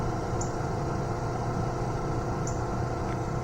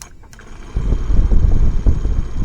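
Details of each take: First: 2006 Ford F250 HVAC blower motor after replacing the old shorted motor with a new one: steady, even low whoosh and hum with no rattle or squeal; the blower runs smooth and healthy. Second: 2006 Ford F250 HVAC blower motor wired straight to the battery gives uneven, fluttering low rumbles that randomly run, stop and pick up again; the motor is shorted and was replaced with a new one.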